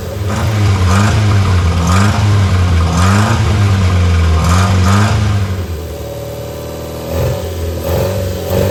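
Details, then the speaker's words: Barn-find Austin-Healey Sprite on jump pack, cold, throttle and choke worked by hand: revs surge and sag about once a second, then drop to a stumbling, wavering idle, barely kept alive; rough running on choke. "Alright, let's put a jump pack on it. Wants to run. Try to work the throttle and the choke at the same time."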